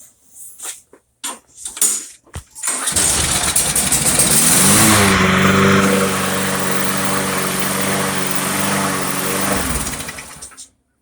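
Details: Craftsman mower with Briggs & Stratton Quantum engine, won't start after storage with old fuel, fixed by clearing clogged carburetor main jet: after a few pulls fires and settles into steady even running with no misses; healthy.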